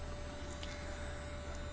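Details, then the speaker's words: JSDA eFile handpiece running forward at high speed while sanding balsa wood: quiet, steady hum with one clean tone, almost no vibration, no knocking or wobble; normal smooth running. "it's a very quiet unit you do hear the bird itself but you do not really hear the unit there's almost no vibration and very quiet"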